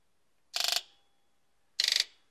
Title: Buzz test after injector 1# fix